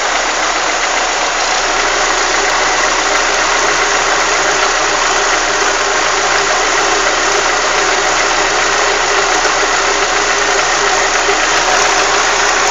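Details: Chevrolet Monza, warm: loose, uneven ticking under a hissy, steady roar; owner unsure whether it is lifters or piston skirt.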